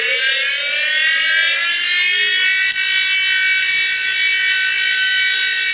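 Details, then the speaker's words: Old SCSI hard drive, already tested bad, at power-up: loud harsh high whine climbing in pitch, jet-engine-like rumbling; loud whine on spin-up. "I don't know if you could hear that but it it's rumbling I mean it sounds like things are flying apart here but yeah this particular drive just sounds crazy loud"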